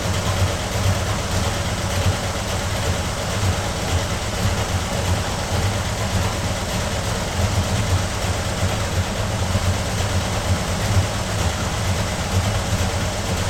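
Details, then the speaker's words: 1995 Ford SVT Cobra (SN95) bought as a non-runner, first start after a fuel pump install: a low, lumpy, unsteady idle, hard to start, no knock or rattle; the owner suspects valve train or timing. "I'll try to bump the timing up, it it definitely doesn't sound good."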